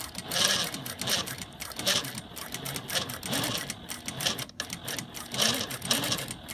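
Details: Juki DLN-415 servo-motor sewing machine at mid sewing speed: fast stitch chatter with thin whine from inside the head near the stitch length dial and feed control lever; not a belt rubbing, exact source unclear.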